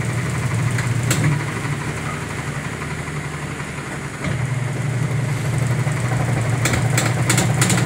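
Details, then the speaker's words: Sharp automatic washer, over 10 years old, spinning empty with no clothes: low steady spin drone broken by uneven heavy thumps as the very wobbly tub swings and hits the side of the cabinet; defective tub assembly. "Yan, pero ang kalampag niya, masyado na siyang wobbly. Wobbly, kaya tumatama na siya sa gilid."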